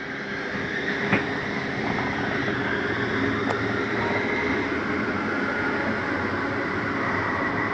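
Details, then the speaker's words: Slide-out retracting on a 2018 Forest River Ultra V 2618: a steady motor drone and gear whir with light clicks. The end noise is the mechanism signalling fully in, not grinding. Normal retraction. "i do want you to hear that noise because it's okay to hear for just a second it's just a slide mechanism saying i'm all the way in it's nothing grinding don't panic when you hear it"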